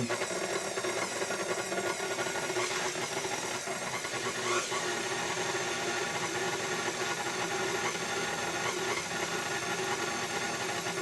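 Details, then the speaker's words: KitchenAid stand mixer after replacing the control board and governor and adjusting speed: even motor whir holding one pitch while drag is put on the beater, no sag in speed; governor working properly. "So the new controller's working pretty good, and I put a new governor in."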